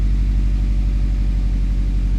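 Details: Subaru after replacing failed cylinder 3 ignition coil for P0303 misfire, check engine light reset: low, even idle beat with no skips or stumbles, slight squeak at start, no codes; normal idle on all cylinders.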